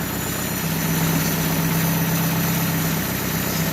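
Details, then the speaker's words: 2015 Chevrolet Aveo petrol idling smoothly after repair, with no slapping or knocking. The earlier noise was a loose timing belt hitting its cover after a tensioner bolt came loose, not lifters or bearings. "como pueden escuchar amigos pues ya no tenemos ese ruido tan extraño que tenía la máquina"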